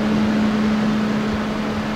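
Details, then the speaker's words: 12V solar shop fan after swapping the 3D-printed hexagonal grill for a circular wire mesh grill: quiet, steady hum near 210 Hz over soft airflow hiss, smooth with no rattles; quieter, with more airflow. "I think that's gonna work a lot better just barely hear the fan running"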